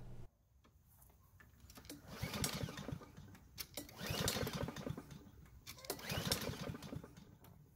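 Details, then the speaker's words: Curbside Blackmax mower, choked, fresh air filter: three recoil pulls turn the engine over in rasping bursts but it never fires; cranks but won't start. "so strangely enough it didn't start which shouldn't be possible"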